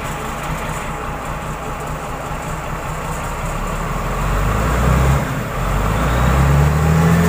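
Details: Komatsu wheel loader diesel after repair of a faulty alternator IC regulator/rectifier that kept the dash lit and blocked starting: a steady, even low rumble that picks up smoothly near the end; sounds healthy.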